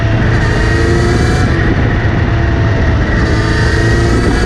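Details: Kawasaki Z900RS, after the chain was cleaned and relubed: a steady whirring drone when accelerating or in gear, seemingly from the front sprocket area. Chain is clean and tension is OK; cause not found.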